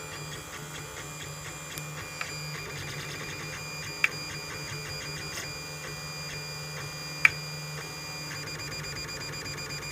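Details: Lulzbot Mini 3D printer running, steady hum and whir with sharp clicks at irregular intervals; cause unknown.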